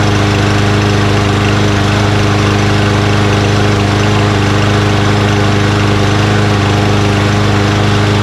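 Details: Mower after its compressed, air-restricting filter was replaced with a new one: a steady, even engine drone with a smooth rhythm and no misses or surging. Running cleanly and healthy.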